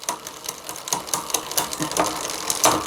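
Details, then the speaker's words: Bicycle rear derailleur in second gear: light, irregular metallic ticking and clicking as the chain hesitates and won't shift; shift cable tension too low, fixed by tightening the barrel adjuster screw. "je passe la deuxième et ben là ça bouge pas c'est parce que le câble il est passé tondu"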